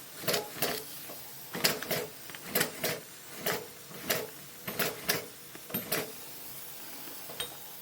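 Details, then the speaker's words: Maxwell Hemmens Birmingham Dribbler gauge 3 model steam locomotive, stood a long time, on low pressure and spun by hand: irregular wet chuffs and splutters at about one every two seconds. It is priming with water in the cylinders. "Keep going, you get rid of the water. It's priming because it's been stood for a long time. The second run will be better."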